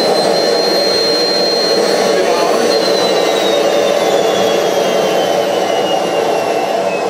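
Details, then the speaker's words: Homemade jet engine 4.0, second test run, ignited by a ceramic glow plug: high whistle sagging lower over seconds as the turbine winds down without self-sustaining, because thermal expansion made the rotor hit the housing; fix planned by machining housing on the lathe. "At least the first obvious reason why the engine didn't run after all is that the rotor/turbine has hit the housing again due to thermal expansion."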